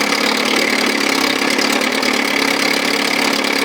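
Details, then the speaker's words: 1957 Sea King 5 hp two-stroke outboard with new plugs, warming up, no thermostat, cylinder not yet hot: crisp quick idle putter firing evenly with no misses or knocks; it starts first pull and runs sweetly. "Boy, she runs, she sounds sweet. It's gonna clean up real sweet. Starts first full every freaking time."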